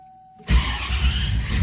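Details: 1994 Chevrolet Corvette after fuel pump and filter replacement (owner chasing missing and stalling above 190 degrees, which the swap did not fix): quiet, then fires in one quick catch and settles into a deep, steady rumble; normal clean start.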